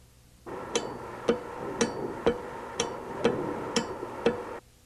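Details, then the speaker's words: VE diesel injection pump on a calibration test bench, 12 V DC electrical fuel shutoff solenoid: crisp sharp clicks about every half second as power is switched on and off. The solenoid is pulling in properly to admit fuel. "After you've made the electrical connection, be sure the solenoid operates to admit fuel. When you turn the power on and off, it'll sound like"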